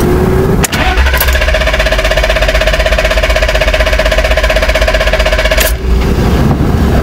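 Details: BMW E34 520i stalls after blips and selecting Drive. The starter cranks steadily for about five seconds before the engine catches. High oscillating idle; plugs, fluids, filters and ECU already replaced. Vacuum leak suspected, but the intake air temperature sensor reads -36°C, likely the cause.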